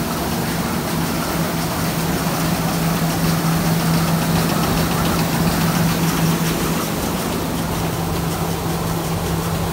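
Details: Thresher after its suction fan was repaired, now screening better than before: steady low hum with an even rumble and no rattle or scrape. Running normally.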